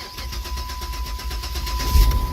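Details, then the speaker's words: Car after fuel pump replacement for a no-start, fuel primed: several quick cranking pulses then the engine catches cleanly into a steady idle; normal engine start. "you go we are running ladies and gentlemen all right"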